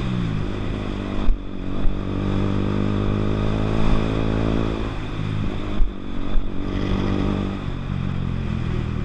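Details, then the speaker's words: Zontes EFI single-cylinder motorcycle that keeps cutting out: the idle wavers and the revs sag and hunt, then it cuts out gradually rather than suddenly, seemingly because the idle is low. Owner plans to adjust the idle on the injector system. "it did cut out it didn't it wasn't a sudden cut out this time which is which is something that's good it was a um like the idol was low"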